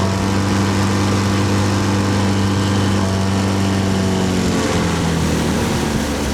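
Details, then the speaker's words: 15 HP four-stroke outboard at wide-open throttle after about five minutes' running, warmed up: small outboard buzzing flat out with uneven beat and a dip in pitch as it starts missing; misfire at high rpm once warm. "But it was definitely starting to miss. And that was after about, I don't know, five minutes of running, wide open throttle."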